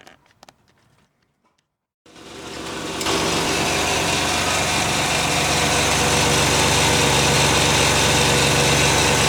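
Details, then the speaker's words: 1995 Pontiac Firebird 3.4 SFI after new coil pack installed; after starter, settles into even, steady idle with smooth regular beat, no stumbles, smoother than before: normal idle. "Okay, we have the new coil pack installed and uh we went ahead and fired it up. Seems like it's running a lot smoother than it was."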